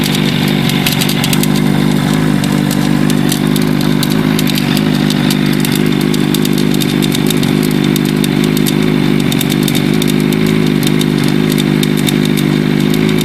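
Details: Katana at steady idle: fast, uneven metallic rattle ticking over the top of the engine note; source undetermined.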